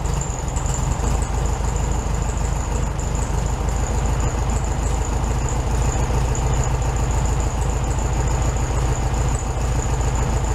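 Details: 1967 VW Beetle 1500cc air-cooled, warmed-up idle after carburetor reinstalled with new base gasket on second attempt; steady, even low beats, no stumble, a touch fast; healthy idle, probably slightly high.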